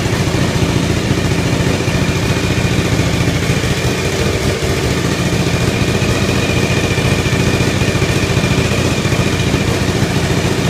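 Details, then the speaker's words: Suzuki TL1000R twin, first startup after four-month restoration: uneven, lumpy fast idle with popping pulses and hiss from exhaust leak, gasket not yet installed; owner suspects missing exhaust donut; white smoke on startup. "I'm getting some hissing from the leak. I still haven't got the gasket in, so I can't fix that yet."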